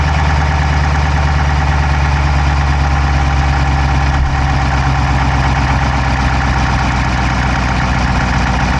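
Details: Dodge Charger Hemi V8 at steady idle, recorded inside the driver's-side engine bay: a quick, even, light top-end tick at engine speed. No exhaust smoke, so the owner doubts a dropped valve; source not pinned down.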